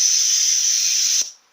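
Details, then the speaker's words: Bench air test at 70 psi of the torque converter clutch solenoid from a 1996 Jeep Cherokee 4.0 petrol A340 (AW4) automatic; steady loud hiss cuts off sharply when about 10.5 volts is applied, the normally open solenoid closing and sealing properly. "So when we put power to it, it closes. No power, open, power, closed."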